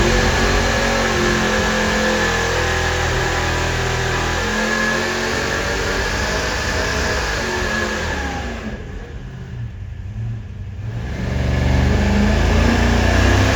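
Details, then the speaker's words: Supercharged 483 big-block Chevy V8 on dyno held at high revs near 6,300 rpm: roars, stumbles and briefly drops out before picking back up; popping misfire. "it get up to like, I don't know, 6,300 RPM, if that, and just start popping and banging, popping and banging. And it sounded like this on the dyno."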